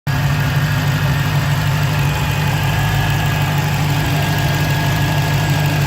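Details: 2015 Dodge Challenger Hellcat at idle: faint, constant high-pitched whine over the engine, sometimes audible from the driver seat; owner suspects an early supercharger bearing whine, not confirmed.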